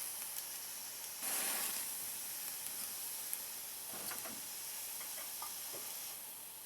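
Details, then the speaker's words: Svea 123 Swedish backpacking stove, self-pressurizing with no pump, earlier leaked flame: soft steady hiss with crackle and small pops, no full roar yet, normal priming while heat builds tank pressure. "Takes it a second to prime because you got to develop that pressure in the tank, and once you get it primed, it's a great little stove."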